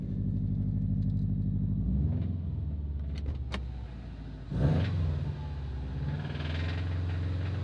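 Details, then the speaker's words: Subaru STI, previously wrecked, knocking a few times right at start-up, then a low, uneven idle with an irregular thump under the exhaust; owner first feared rod knock, and later suspected a cracked up-pipe heat shield. "So I don't know if you heard, but it knocks a few times as soon as you start it."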